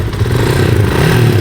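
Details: Fuel-injected Classic 250 after the failed fuel pump was replaced with a new one: steady single-cylinder beat that picks up cleanly and evenly under throttle, no stumbling or cutting out; running healthy.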